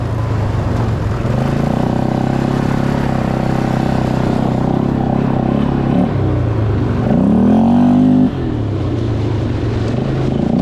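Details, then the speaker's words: Polaris Scrambler 500 barn find, sat 10 years, revived and ridden: single-cylinder thump pulling steadily under load with clean rises in revs, no misfire or stumble; runs great. "Okay, now this has no front end on it, but that's [Music] fine. That's man. She rips."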